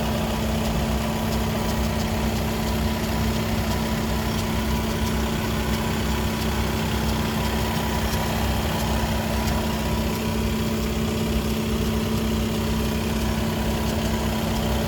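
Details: Skoda Octavia 3 (5E) RS 2.0 TDI with DSG: even diesel idle with steady low hum and faint higher tone from the DSG gearbox, appearing only when hot; official Skoda workshop could not identify the cause.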